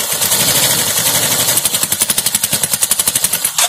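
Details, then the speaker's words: Suzuki Access 125 scooter after repairing tappet noise caused by no oil reaching the tappets, cover off; quick, even mechanical ticking at a settled idle with no grinding or irregular knock, then shuts off; tappet noise gone, normal idle. "अभी देखिए गाड़ी स्टार्ट कर रहा हूँ, जो आवाज़ था टैपिट का तो पूरा जा चुका।"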